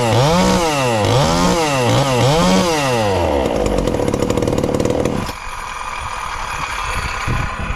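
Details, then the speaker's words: Ported, low-compression 2375 chainsaw (about 140 psi expected) on pump gas before the methanol conversion, recorded as a baseline: revs up and down about twice a second with a crisp, even note, then shuts off. Runs fine. "i'm gonna fire it up if it will here today on the pump gas just to maybe have a comparison of how it sounds"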